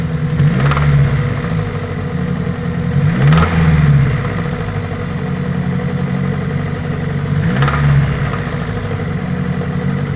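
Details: Daewoo Nexia 8-valve: low, uneven knocking rides on the idle and swells with each throttle blip; a knock inside the engine, source not pinned down.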